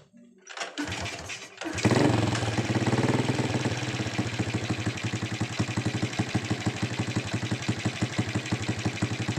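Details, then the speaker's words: Honda Supra X125 after the repair, with its lock refitted, gasket glued and reinstalled: after catching, the engine settles into an even, steady thump with no top-end clatter, smooth and back to normal. "oke ya suaranya itu jadi halus lagi sudah normal"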